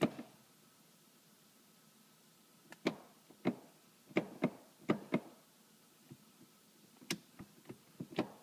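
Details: 2003 BMW M3 SMG with 108k miles, after clutch slip and a loud screech: stuck in neutral ("0") and no start even after the relay swap; faint pump hum and scattered selector clicks, but no cranking.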